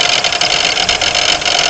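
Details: 1992 Pontiac Grand Am 3.3 at steady idle: harsh metallic grinding rattle, fluttering unevenly, from the front of the engine; owner suspects the harmonic balancer but is not certain.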